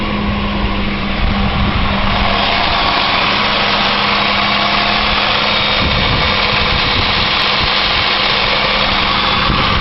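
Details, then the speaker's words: 2001 Chevy Malibu, 296,662 km, cold start after replacing the idler and tensioner: steady, even idle with a smooth hum and none of the old cold rattle, which owner suspects came from the loose idler-tensioner assembly. "something that sounds a lot better. This thing used to rattle like crazy when it was cold."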